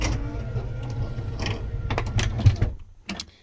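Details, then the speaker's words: 2007 Jayco Melbourne 29D Class B RV rear room slide-out extending: steady electric motor whir with low rumble for a few seconds, then a few clunks as it stops; normal slide-out motor operation. "there's a slide out just push it out you'll see that slide out is going out"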